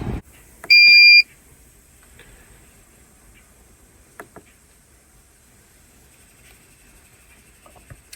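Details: 2012–2017 Audi A6 Quattro 3.0 rear brake job: one short high beep then near silence as scan tool puts electronic parking brake into service mode before actuators retract; normal confirmation.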